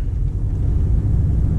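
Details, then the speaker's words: Toyota Camry with code P2109 throttle pedal position sensor, light reset didn't help: on test drive pedal floored yet only low flat rumble, pitch never climbs, barely 15 MPH; limp mode from pedal position sensor fault, part ordered. "pedal all the way down and we have no power guys this is how fast i am going with the pedal all the way down it's gunned i gunned the pedal check that out gunning the pedal and the car barely moves"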